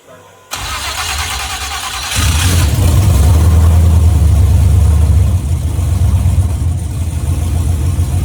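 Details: LS-swapped OBS Chevy truck at its first start after 3 years, on cold cranks: the engine catches and revs, but the rumble is lumpy and uneven, a misfire of unknown cause.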